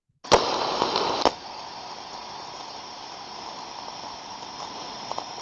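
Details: Ultrasound recording of an on-off steam trap: a sharp snap, about a second of rushing discharge, another snap as it closes, then near quiet; the trap is cycling properly.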